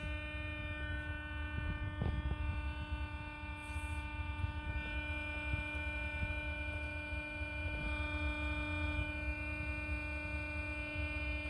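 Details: Lian Li Galahad 360 AIO, about 8 months old: steady whine with stacked high tones over low buzzing rumble and big vibration; fans stopped by hand confirm it comes from the pump; RMA approved for replacement.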